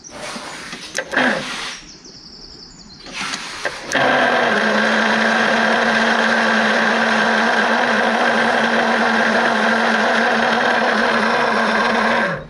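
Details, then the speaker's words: 1970 Ford Escort MK1, engine freshly freed after being seized: labored slow cranking, steady starter drone, about three and a half beats a second; tight engine fighting the starter. "yep it doesn't sound good does it no it's fighting"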